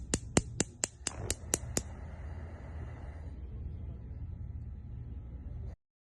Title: LG Gas range Burner clicking noise/Bruit de cliques